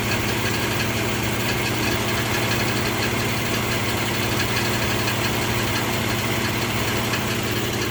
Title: 04 G35 ticking noise